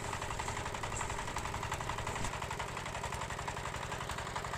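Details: Mitsubishi diesel engine after reassembly. It had revved up by itself and would not shut off, traced to a part lifted during gear assembly and bent back into place. It now has a steady, even idle with no hunting or surging.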